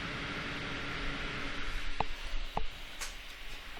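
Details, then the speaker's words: Case and radiator fans on a DeepCool FH-10 hub with a Corsair iCUE H100i RGB PRO XT, mic near fans: loud, steady whoosh stuck at full speed (around 2400 rpm max), no PWM throttling. "yeah 2400 rpm is like the max but these are basically getting no throttling at all"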